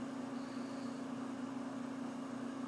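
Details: GE dryer model GTD42EASJ2WW after a first-time belt replacement (it had banged and stopped spinning): steady even hum with a smooth drum turning, no squeal, slap or thumping, running normally.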